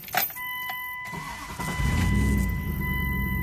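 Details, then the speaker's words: 1999 Dodge Durango 5.2L after replacing fuel pressure regulator and fuel pump, previously hard rough starting needing key cycling: dash chimes, brief crank, fires immediately, smooth even idle; normal cold start, cleanest in five months. "Ooh, that's the cleanest it started in about 5 months. I realize I just started it, but I think I got a good, that sounds a lot better off the get-go right now."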